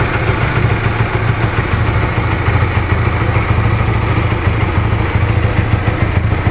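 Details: Honda Supra GTR 150, fuel-injected, nearly 2 years of use: the single settles into a steady, even low putter at idle with no ticking or knocking. The owner says it still sounds smooth; healthy idle.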